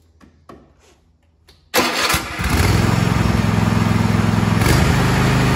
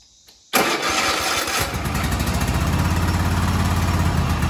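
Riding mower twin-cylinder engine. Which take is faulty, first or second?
second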